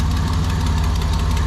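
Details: 1987 Nissan Pathfinder VG30 V6 after head gasket replacement, warm idle with a light quick tick over an even rumble from one side; owner unsure whether piston slap or exhaust leak, tick persists after oil change.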